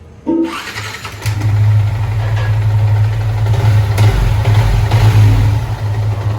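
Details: Yamaha R15 V3 after valve clearance adjustment; excess valve play had caused a knocking, vibration-type noise. It starts cleanly and settles into a steady, even low idle with no ticking or knocking, and the valvetrain sounds quiet and healthy.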